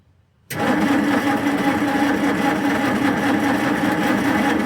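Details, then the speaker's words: 1946 Jeep being revived, cranked with a better replacement battery, checking for oil pressure: starter spins engine briskly, evenly, steadily without slowing; normal healthy cranking. "Got a little bit better battery hooked up to it. Let's crank it over. See if we can get any oil PSI."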